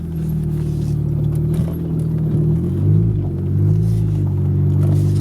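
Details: Car being prepped for Radwood, first start after new spark plug wires: deep, steady, even rumble with no stumbles or skips as it backs out of the driveway; misfire cured, engine running smoothly.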